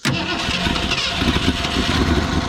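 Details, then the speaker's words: Ford Fairlane 260 V8, first start since current ownership, fuel in the carburetor: quick catch on the first crank with a little gas, then a steady, even idle with no misses or knocks and a little smoke; normal idle. "okay just a little bit give her a little bit of gas she was going to idle all right that's good"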